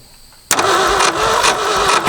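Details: Late-60s Ford F-250, abandoned 26 years, about 71 thousand miles: starter spins the engine in an even cranking rhythm but it never fires; no spark to the plugs, traced to a missing distributor rotor.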